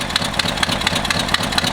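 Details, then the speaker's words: 1963 Ford F100 4x4 bought with a suspected bad motor, idling on a little choke: sharp ticking pops about four a second, keeping pace with the firing; the exhaust leak is traced to the exhaust manifold gasket. "So as you guys hear, it's got an exhaust leak. Getting a pretty big pop. Kind of trying to figure out where that's coming from."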